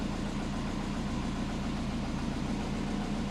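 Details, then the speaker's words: Compound-turbo Subaru on Haltech ECU, cold start (coolant 30°C, intake air 27°C), idling at about 850 rpm with a steady, even low rumble, no misses or knocks; normal cold idle. "Starts up every time. This is where we want to be idling."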